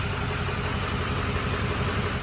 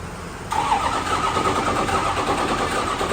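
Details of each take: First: Freshly built budget 6.0 diesel: steady, even idle with smooth low rumble and no knocks or misses while codes are cleared; seems all right. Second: Ford 6.0 L Power Stroke diesel from an old burnout truck, first daylight run after engine and transmission install: short crank, then it catches and runs ragged and unsettled, with air still trapped in the fuel system.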